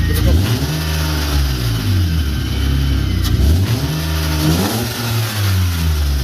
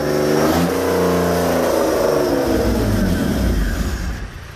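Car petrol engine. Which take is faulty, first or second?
second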